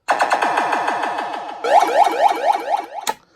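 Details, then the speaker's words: Williams (WMS) Black Knight pinball sound and speech board on the bench after repair (amp was blown, headers replaced), diagnostic button pressed: rapid falling electronic sweeps, chirping rising tones and speech phrases, all played correctly; normal sound board output. "So, diagnostic button playing all the proper sounds."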